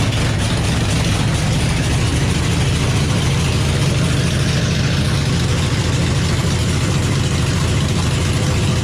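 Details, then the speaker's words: Chevy small-block nitrous drag-car V8 on its first start after a three-year build: steady, even low rumble with a smooth, lopey idle and no knocks or misses. Sounds good with good oil pressure, though the owner says it needs carb tuning. "it definitely needs some carb tuning but yeah it's tuned i mean hell it's the first time it's run so man it sounds good though yeah sounds great"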